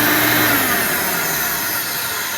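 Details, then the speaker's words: Original motor of a Hoover Elite vacuum before replacement: a loud, harsh high whine with a rough rasp that slowly sags in pitch. The owner judges the motor worn out, but the cause is not confirmed. "it would seem that the motor and this is kind of worn out"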